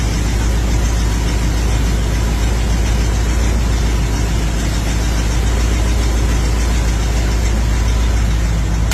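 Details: Older carbureted V8 that sat a while, started after priming the dried-out carb bowl with gas through the vent port. It settles into a deep, steady rumble running on its own without faltering.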